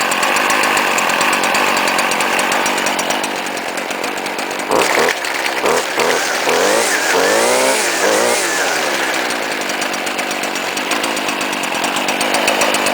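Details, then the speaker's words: 2010 Stihl FS70 RC 27cc strato-charged trimmer, cold start after sitting 2-3 hours in sun, started on second pull with three primes, semi-automatic choke: high buzzy two-stroke note steady near fast idle, briefly revved; running healthy. "Look at that. Awesome. Second pull FS70 RCE sounds like a chainsaw."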